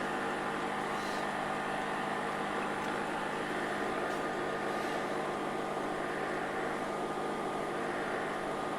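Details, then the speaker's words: Aldi Adventuridge thermoelectric cooler running on DC at about 57–58 W after an internal power supply failure: steady whooshing fan hum with a rough, gritty edge. The fan sounds worn, suspected near end of life. "Oh, it's angry, but it works. So my diagnosis was correct. The fan is very noisy. That's more what it sounds like. It's worn."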